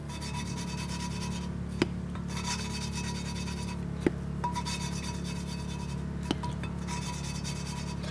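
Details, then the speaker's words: Coarse early valve lapping by hand: steady gritty rasping with a sharp tick each time the tool reverses on a pitted valve and seat; light downward force needed, the metal-on-metal action does the work. "don't really need to apply a much downward force you're just letting that metal on metal action do itself"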